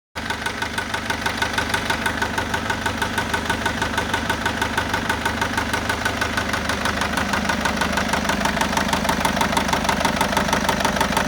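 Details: 2010 Citroen C4 Grand Picasso, Peugeot-Citroen 1.6 HDi diesel at idle: sharp even knock about three times a second, suspected bottom end; cause unconfirmed.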